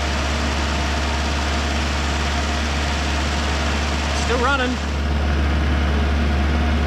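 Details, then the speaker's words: 1973 Chrysler Galant revived after 26 years sitting, running on a makeshift fuel feed with the oil light now out: steady, even low chugging idle with chatter over it, running cleanly on its own. Normal idle. "I put some water in it but she's just chugging away his happiest day look at that"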